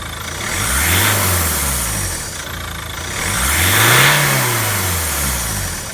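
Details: 2010 Ford Mondeo MK4 2.0 TDCi parked, revs blipped twice below turbo range: airy hiss rising and fading with rev changes, heard on overrun, lift-off and acceleration, gone under steady load; belts also whirring; cause unknown.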